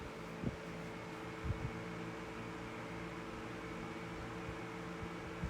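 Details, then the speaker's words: 1981 Dayton (Lasko/Glasgow) 16-inch oscillating desk fan, model 4C508B, on medium: soft steady hum with an even whir of air and a few light clicks. Motor healthy and smooth. "alrighty medium there's that beautiful motor wine"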